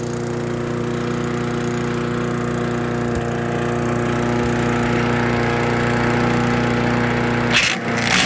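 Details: Troy-Bilt chipper/shredder, rough after carburetor reassembly but now running great, chipping branches on the second day: small engine holds a steady hum with no stumbling or hunting; normal running under load. Owner suspects rocks damaged the blades.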